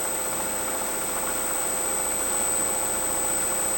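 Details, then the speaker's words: Freewing 4258 580kv brushless motor for a P51D Mustang, run up after a prop strike and replacement of its main bearings with 5x11x5 Boca bearings: a smooth, steady high whine with hardly any noise or vibration. The old bearings were bad. "Let's run it up and see if we get in that noise. So we're going up. And there's hardly any noise, so it says that the bearings were most likely bad."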